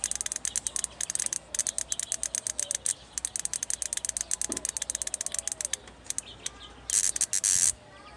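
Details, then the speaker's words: 2004 Honda Pilot with P0740, shift solenoid bench test using the fast-tap method: quick sharp ticks around ten a second, then a short harsh buzz. The solenoid is judged working. "So I'm gonna do the fast click. So right there it's working."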